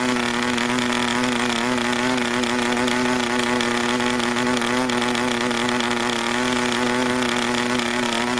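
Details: New PAW 40 TBR model engine, first break-in run on recommended PAW break-in fuel, 12x5 Grish prop, vibrating clamp-style mount; steady buzzy drone at unchanging pitch, no clean pickup, running rich and under-compressed, soft and flat.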